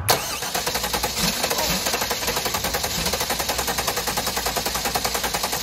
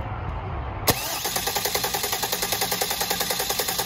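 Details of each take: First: Race car engine runs with a hard rhythmic shudder, about three and a half beats a second, then shuts off; the vibration is traced to the clutch pressure plate, which wobbles and is not seated properly. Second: Leroy, a drag car that had a severe vibration blamed on the clutch, is spun after a new clutch was fitted. One click, then an even pulse at about 3.5 beats a second with no heavy shake. The clutch is judged perfect; the slight wobble is attributed to the flexplate.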